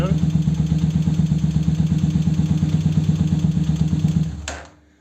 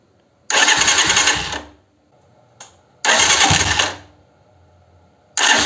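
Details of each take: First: 125Z motorcycle after new starter motor (old one had burnt brushes, dragging and spinning too slowly): fast, even cranking whirr, no more crack noise, starts quicker at the button; normal. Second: 125Z motorcycle starting: three harsh cranking bursts with rough cracking whirr before it catches and idles, slow and sometimes failing to start; Bendix-like noise, suspected starter motor/Bendix, starter and cover to be removed for inspection.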